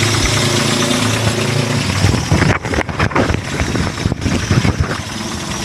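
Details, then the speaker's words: 1996 Toyota Kijang KF42 short-chassis Super G with 148,000 km, cold start: it cranks, catches and settles into a low, even idle with no knocking or suspicious noises, a healthy engine. The oil is black and old but not mixed with water. "ini udah di starter suara stasionernya masih Anteng dia masih enak masih sok juga enggak ada suara-suara yang mencurigakan"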